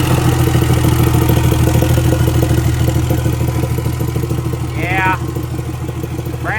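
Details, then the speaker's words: 1200hp Cummins diesel truck with brand-new turbo: rough idle with loud, regular clatter about three beats a second riding over the engine; noisy valvetrain, owner suspects valve hit piston, unconfirmed. "Yeah, she's had better days. I'm going to bet uh Valve has met Piston or Piston's met Valve or they might have had a dance party, a little disco party without us."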